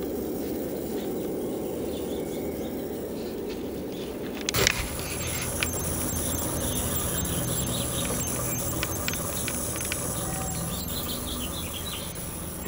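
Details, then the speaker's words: 1969 RCA KCS178A black-and-white tube portable TV, recovered from a desert dump, checking for high voltage: faint hum then sudden irregular snapping and crackling; high-voltage arcing inside the set. "check a few voltages I want to see if there's high voltage start with that oh there's high voltage and then something started arcing"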